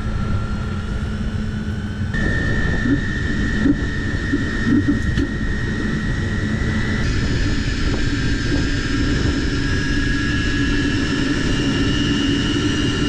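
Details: Van hydronic diesel heater, under warranty, restarted during troubleshooting after water was suspected inside: steady, even roar with a constant high tone and no stutter or surging; heater runs normally.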